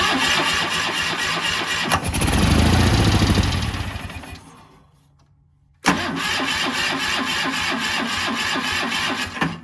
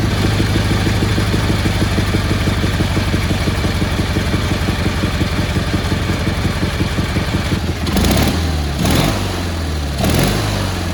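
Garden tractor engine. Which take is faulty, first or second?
first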